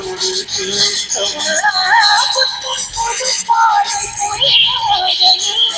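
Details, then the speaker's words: Tape recorder playback after replacing and matching the tape head (leads soldered): clear music with crisp treble and steady level, no dropouts, warble or muffling; head reads properly; azimuth could be fine-tuned via two screws with a good cassette. "So இப்போ வந்து head கரெக்டாக match ஆகிட்டு, இனி இதை வந்து நல்ல cassette போட்டு அந்த டியூனிங், இந்த 2 ஸ்க்ரூவை நம்ம கரெக்டாக டியூன் பண்ணோன்னா சூப்பராக செட் ஆகிரும்."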